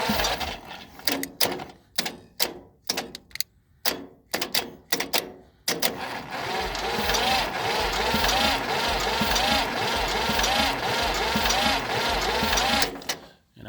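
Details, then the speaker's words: Massey Ferguson 35 three-cylinder diesel, freed after sitting 20 years seized with water, fed from a temporary pressurized tank: jumped starter turns it over slowly and unevenly without firing, too slow to build compression. Owner suspects the starter is failing. "so we're just going to try to jump this starter one time let you hear it crank it's it's slow man to crank I don't understand that I don't know if the starter is about ready to go out or what"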